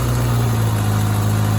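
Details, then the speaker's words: 1993 Suzuki GSX600F four-cylinder motorcycle idling steadily and evenly after a long-running carburetor problem was finally found and fixed; smooth low hum with no dips or misses, still warming up, battery weak and boosted; normal idle. "yes yes yes yes yes yes yes the item is stable luckily we have found the problem"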